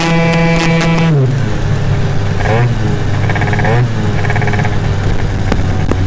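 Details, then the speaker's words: Yamaha Aerox scooter, tuned setup with old variator face: engine pitch drops as drive takes up, then revs surge and sag instead of holding steady; variator shifting is off, more variator tweaks planned. "going to do a couple more variator tweaks to it you can hear the the shifting is a little off this is an old variator uh face that I had"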